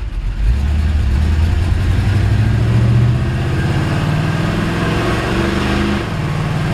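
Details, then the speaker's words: 1954 Ford F-100, still cold, pulling away: old V8 revs rise then drop cleanly through each gear change, with no slipping or flare. Engine runs strong and the automatic transmission shifts normally. "Transmission shifts great. I don't want to get going too fast. The neighbor ladies get a little upset with me, but you can hear the engine run strong. Transmission shifts perfect."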